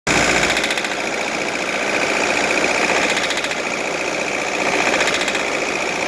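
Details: D24 diesel engine, which also smokes: hard, uneven metallic knock, roughly three to four raps a second, clattering erratically over the idle.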